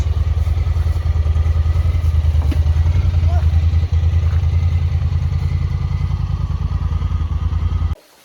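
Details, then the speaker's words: Honda Talon idling after a ride following a repair for rough running (a fuel issue is suspected; a fuel pump replacement was avoided): an even, steady low thump of about three pulses a second until shut-off. It is back to normal. "but it's running a lot better like it's completely back to normal now"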